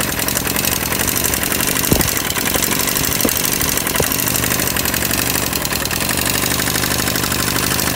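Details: 250cc Jiangshe air-cooled ATV after a cold start: loud metallic tapping over a clattery idle. There is a lot of rocker-arm play, so the valve clearance is excessive and needs adjusting.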